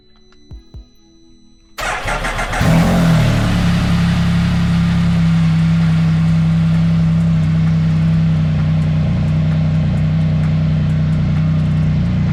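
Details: Motorcycle with about 8,100 miles: the starter whirs, the engine fires promptly and holds a smooth, steady idle with an even beat. It is running well.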